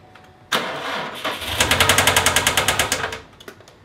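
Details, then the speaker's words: Subaru started after crankshaft position sensor replacement: cranks and catches, then rapid sharp knocking through the brief run before it dies; bad internal engine knock, heard near the throttle body; owner plans to swap the long block. "it's weird I hear the knocking at the throttle body that we inside the throttle button so that everything's broken my engine"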